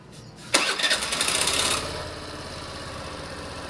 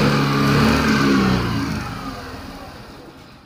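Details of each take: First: Suzuki Burgman scooter after ISC valve diagnosis (valve had been locking from dirt): cranks and catches quickly, brief rev, then even steady idle with no stumbling or hunting; normal start and idle. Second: Suzuki Burgman scooter (fuel-injected, nearly new) revs, then sags and dies within two seconds of releasing the throttle; won't restart. Idle speed control (ISC) valve locks up from dirt entering the throttle body and no longer returns.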